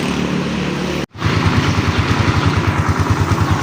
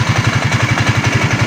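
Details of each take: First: Raider 150 Fi, overhauled elsewhere but noisy right after, with unreplaced parts, parts reversed and wrong timing: cold idle unrevved with loud rough uneven thumping and clatter from worn crankshaft main bearings; louder when revved. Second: Raider 150 Fi motorcycle engine just after re-doing an overhaul that left it noisy: steady, even low idle putts with light revs and no knocking, replacing the earlier rough, clattering sound.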